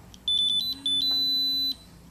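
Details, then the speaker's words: BW GasAlert Max XT II gas detector (O2, LEL methane, H2S, CO) switched on in fresh air: quick string of high beeps then long steady tone over faint pump hum during sensor self-check; normal start-up. "Once you turn this meter on, it goes through a self-check and tests all of the sensors to make sure that they're operating."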